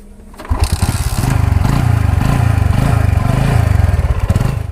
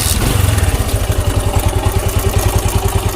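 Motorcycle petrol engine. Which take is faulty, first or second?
second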